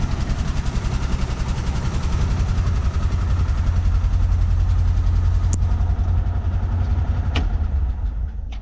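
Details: 1970s Chevrolet C-10 Custom, revived after about 30 years sitting, idle turned up, no radiator fitted: deep, even rumble at steady slightly raised idle, about 3–4 pulses a second, no misses; idles fine.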